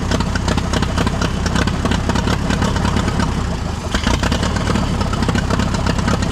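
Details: Allis Chalmers tractor, believed late-1940s WC, possibly 6-volt positive-ground system, first run after roughly 15–20+ years sitting: loud, steady, even idle with no misses or knocks; normal idle.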